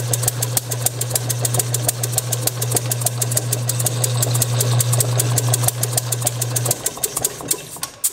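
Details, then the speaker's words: Bessemer model engine spun by an electric motor, using a known-good carburetor and tank, Hall-sensor spark at about 5–10° before top dead center, mixture slightly richer: steady motor drone with irregular sharp pops about three a second. It fires but never runs on its own. "I'm still not able to get it to run but it is firing anyway"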